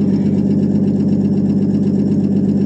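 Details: 1959 Ford F250 longbed stepside, 223 or possibly 262 inline-six, cold start after 3–4 years sitting, new battery, fuel poured in: steady, even low idle with a firm regular pulse, no knocks or misses; running cleanly.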